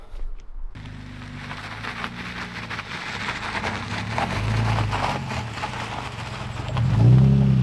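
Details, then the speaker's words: Nissan 350Z manual RWD drift car after rebuilding the diff with shims (bark chip recovered from housing): low rumble with rapid uneven chattering clunks, about four a second, during slow turns on a driveway, a locked differential scrubbing and binding; cornering now feels choppy. "Yeah, the car drives like shit now. The only way I can really describe it is it used to corner at like 60 FPS and now it's cornering at like 15 FPS. It's a bit choppy, if you know what I mean."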